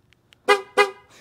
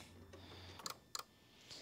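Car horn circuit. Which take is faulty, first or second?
second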